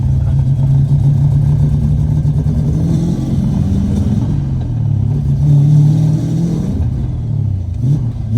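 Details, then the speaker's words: LS V8-swapped Lexus IS300, first drive after initial starting trouble, untuned: engine stumbles and revs unevenly as throttle opens, pulling hesitantly and nearly dying; hesitation blamed on the tune being off, with a tune planned next. "It's kind of hard to get into it because the tune's all off and the car kind of doesn't know what it's doing right now."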